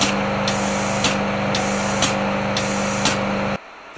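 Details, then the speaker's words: CHMT 560P4 pick-and-place machine with electric feeders: constant loud fan hum and hiss under steady clicking about twice a second; the feeders' power supply cooling fans are far too loud, fixable with better power supplies. "for the power supplies for the electric feeders are seriously loud now i can solve that quite easily by replacing them with better power supplies"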